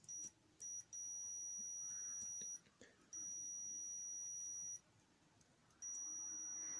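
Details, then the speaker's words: Cordless drill trigger switch tested on multimeter continuity setting across its terminals: the beep sounds when the switch is engaged but drops out and returns, slightly intermittent contact; owner suspects wear and grit from heavy trigger use. "When I engage the switch, I get that bleep. I've explained all that in the video I've done on continuity, but it is slightly intermittent."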